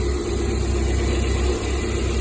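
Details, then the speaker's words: Lada Priora after repair, fault traced to the gas (LPG) system wiring, gas disconnected from the ECU and injector wired directly, good pulse on tester: steady, even, low idle with no knocks or misses; normal idle. "Газды айырып тастағаннан кейін көлік әдемі жүретін болады."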